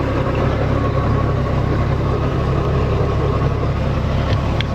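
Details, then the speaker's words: 1999 Bayliner Capri with a MerCruiser 4.3L, which had a no-crank fault from a bad starter relay solenoid, fires right up after the solenoid was replaced. It idles with a deep, steady, even burble on the water hose. "Alright, she fired right up, so it's definitely what it was. Got the hose hooked up and seems to be alright."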